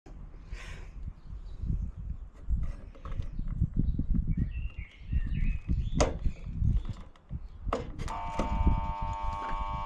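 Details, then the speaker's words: PowerG portable bench saw with a temporary replacement power cable: handling clatter, then a steady electrical buzz that holds without the motor spinning up; the owner believes it needs new brushes. "Well, you could hear that buzzing, so obviously it was right in saying that it needs bushes."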